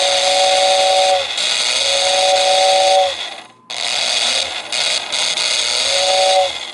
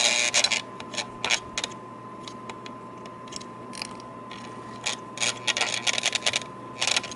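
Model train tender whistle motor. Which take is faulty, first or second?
second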